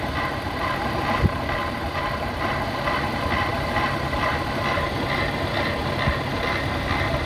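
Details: BMW E36 with M52B25 engine idling with an uneven, lumpy beat and faint irregular knocks, clearly from the front of the engine; the owner suspects VANOS or the idler tensioner.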